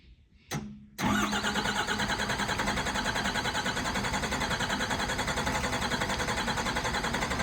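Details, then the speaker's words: 1985 Ford F250 with a 12-valve Cummins swap, cold start at about 24°F after sitting overnight, no grid heater, timing turned up: brief crank, then loud, rough rhythmic clatter; hard start blamed on a small air leak at the overflow valve. "it's gonna it's gonna do a pretty good hard start and then probably die and then start again so we'll see what it does"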